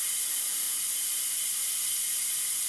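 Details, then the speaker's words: 469 big-block Chevy dragster engine, cold, standard rings, leakdown test at TDC; constant sharp hiss of air, about 28 percent leakage versus about 10 on other cylinders, air heard in crankcase, high cylinder leakage. "definitely got something leaking so all my other cylinders are about 10 just a little bit over leakage and you definitely got an issue here"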